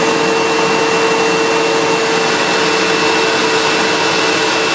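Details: Sebo Automatic X1.1 950 W upright vacuum, heavily used and reported not working, running before refurbishment while height adjustment is tested: steady, smooth motor roar with a constant high whistle that never wavers; running normally.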